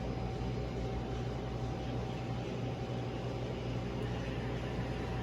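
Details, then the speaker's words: Bakers Pride gas pizza oven after new thermopile installed for pilot light issue: main burner lit, steady even gas roar with faint constant hum, no popping, sputtering or flutter; running cleanly. "I hear it. Oven is lit."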